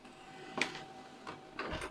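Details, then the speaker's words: HP LaserJet P1102w laser printer after repair for a loud cracking/banging noise while printing: soft, regular paper-feed and roller sounds with light clicks, no rattle or bang during consecutive test prints; normal printing. "no le escuchamos ningún ruido y está imprimiendo movimiento"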